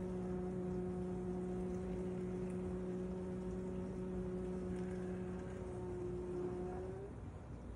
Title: My noisy kitchen aid dishwasher makes me cry KDFM404KPS